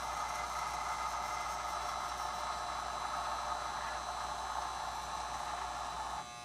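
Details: Reconditioned Lionel 027 postwar operating barrel loader/unloader, run with throttle up slightly. Even electric buzz holds steady about six seconds, then cuts off; the vibrator unit runs smoothly, normal operation.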